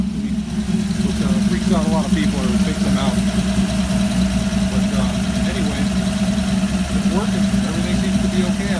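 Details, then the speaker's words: Ford 200 inline-six with FiTech fuel injection and new exhaust, about 40 miles since completion, still being tuned: steady, even idle with a smooth low hum, no knocks, misses or hunting; healthy idle. "so now we're uh got a little bit of a different exhaust a little bit more verbally I think it still sounds like a spot block"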